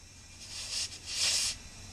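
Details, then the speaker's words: Mitsubishi Evo X boost leak test with the intake pressurized: two short bursts of sharp, airy hissing. The leak was found at the throttle body. "Yep, it's leaking right at the throttle body."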